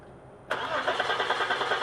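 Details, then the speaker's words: 2002 Audi A4 3.0L V6 that cranked but would not start, with no fuel at the line and the fuel pump suspected: cranking with the fuel line disconnected into a bucket to test flow; steady starter whir with even pulses, engine not catching. "in order to check for flow all you need to do is disconnect the fuel line and point it into a bucket okay crank"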